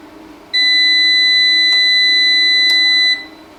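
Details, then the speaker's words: EASUN Isolar SMV III 3kW 24V pure sine wave inverter on a 27V battery through a 200A shunt: a single long, steady high beep of about 2.5 s in a quiet room. Normal power-on; the speaker mentions two long beeps, then the fan starts. "හරි long beep දෙකකට පස්සේ මේක on වුණා fan එකත් on වුණා ඒ වෙලාවේ."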